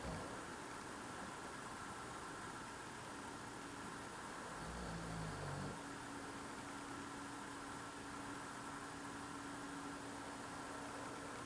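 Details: Loud idling noise outdoors at night, recorded through a frozen-shut window in freezing cold; the owner says it is not a generator. Faint, steady drone with constant low hum, like a distant idling engine; source unclear.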